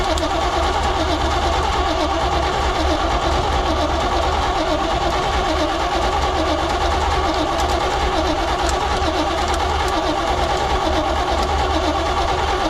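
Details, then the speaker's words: 1972 Chevrolet C20 pickup stored over 20 years, first start attempt with gas squirted down the carburetor: steady rhythmic starter churning about once a second, no firing; cranks but won't start; owner wonders about compression. "ah well that's disappointing i would have assumed that it would i mean if it's got spark and we got fuel and we obviously got air it should pop off"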